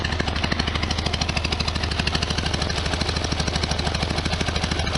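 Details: 1973 VW Super Beetle air-cooled flat-four idling after valve cover gasket and oil/filter change: a steady, even low putter of about three beats a second with light tappety clatter on top; acceptable normal idle.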